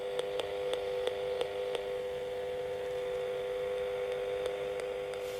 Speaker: So, I put my mobile phone on uh watching a video and I know this is not an AM device, but can you hear the clicking?